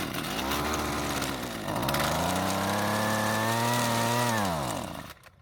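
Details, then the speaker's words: Husqvarna trimmer with aftermarket replacement carb: sputters, strains briefly, then sags and cuts out; won't stay running, lean, starving for fuel. "now it's not wanting to stay running so I'm going to adjust the carb to deliver more fuel to the engine by turning the L screw at quarter turn counterclockwise"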